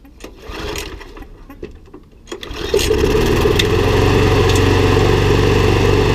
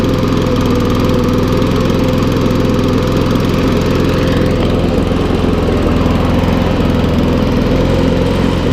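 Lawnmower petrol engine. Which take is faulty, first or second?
second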